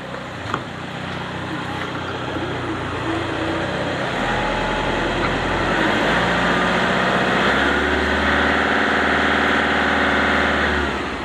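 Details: Old Toyota Innova diesel after a weak 70 Ah battery was revived with additive, crank voltage about 8 V, charging 13.1–14 V normal: smooth, even idle with steady rev rise and settle, no ticks or knocks; normal idle.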